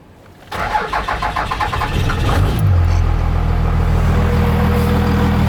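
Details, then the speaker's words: Cummins diesel Dodge truck after new starter fitted: cranks about two seconds with steady chug before catching, then rough diesel idle; hard start persists, owner suspects injection pump. "Start it up. It's still having that starting issue. I think it's my injection pump."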